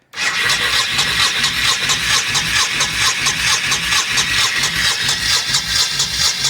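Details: 1998 Honda Shadow VT1100 abandoned and bought from a tow yard, carb bowls drained and refilled with fresh gas via the fuel pump, choke possibly not working: steady starter whirring with compression pulses about two per second, no firing; cranks but won't start.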